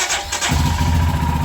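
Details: Royal Enfield Himalayan cold-started in very cold weather after sitting about four to six weeks unridden. The starter catches right away and the single cylinder settles into a steady, even idle thump: healthy start.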